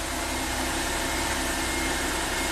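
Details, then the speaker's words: Ford Freestyle with a no-crank fault after an aftermarket ignition switch; bypassing the remote-start unit by jumping the green wire lets it start: steady, even idle hum with no knocks or misses. "Just connect two sides of the green wire through this yellow cable, and of course it starts."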